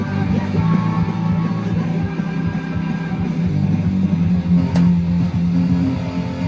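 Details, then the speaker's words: 1990 Porsche 911 CR-1 cassette stereo during overhaul: music plays hurried and squeaky-high like Mickey Mouse, tape running too fast after fitting the closest available speed-circuit capacitor, wrong value; right-sized capacitor still needed. "So it's like Mickey Mouse, okay? Maybe not as bad, but it's like Mickey Mouse."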